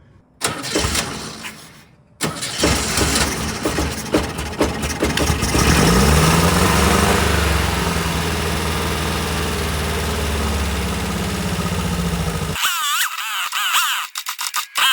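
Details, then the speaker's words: 1967 VW Type 3 Squareback, start with newly working carburetor chokes: quick crank, catches right away, fast uneven idle about ten seconds then dies; starts but won't keep running, chokes open, owner suspects idle adjustment issue. "well the engine starts right up now my issue is keeping it running"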